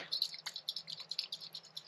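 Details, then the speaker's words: SU HD8 carburettor float from a Jaguar XJ6 being shaken: quick light rattles with a soft liquid slosh inside from fuel trapped in the brass float; leaking float, to be replaced with foam floats. "hear that liquid sound? That's fuel stuck inside this float."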